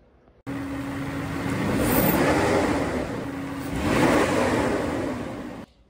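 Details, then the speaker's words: Mercedes W140 with V12 M120 engine revved twice with air filters removed: fine airy suction hiss from the open intake rising with each blip, a sound different from running with filters. "lors du montage de la vidéo je me suis aperçu qu'il y a un bruit différent sans filtre on entend le sifflement fin l'aspiration comme un sifflement écoutez bien"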